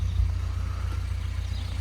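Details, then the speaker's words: 998 Mini (Ben's) on a return visit, before swapping in a recurved power-spark distributor and high-power coil: steady, low, even idle with a soft regular pulse and no misses or knocks; runs perfectly thanks to last year's new carb and tuning. "As you can hear, that engine actually runs perfectly, and that's because a result of the new carb and the tuning we did last year."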